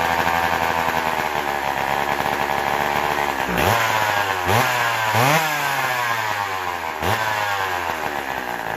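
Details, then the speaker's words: McCulloch Power Mac 6 Auto chainsaw, sat about 30 years and needing crank seals, running after a plug wire fix: two-stroke keeps buzzing and blipping through throttle dips; the on/off switch fails to stop the engine. "that's my story and i'm sticking to it so much for the on and off switch working"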